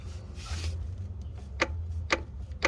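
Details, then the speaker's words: Older K-Tuned adjustable shifter with a loose brass ball and a torn boot: three sharp, hard clacks as the in-gear shifter is rocked, from excessive play at the shifter and further down the linkage. "It seems okay, but there is a lot of play. You can hear it clicking and clacking."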